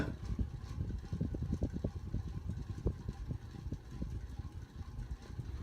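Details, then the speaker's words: 1988 View Fan model V652 52-inch ceiling fan running at medium with a rough, uneven rumble and irregular knocking from worn, scratchy motor bearings; wobble is exaggerated by the light kit. "It's still noisy as hell though. You can hear those horrible bearings."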